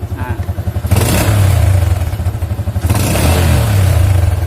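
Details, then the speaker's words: Older Yamaha Jupiter MX after disabling the AIS system (vacuum membrane was leaking): single-cylinder revs up and drops back cleanly twice, pulses settle evenly, no overrun pops or bangs; deceleration backfire fixed. "nah ini tidak ada lagi ledakan ya Di knalpot ketika gasnya kita turunkan ya"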